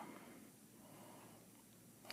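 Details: Siemens SIPART PS2 electropneumatic valve positioner during auto-calibration: quiet room hiss, then a sharp burst of escaping air near the end as the positioner vents; normal operation.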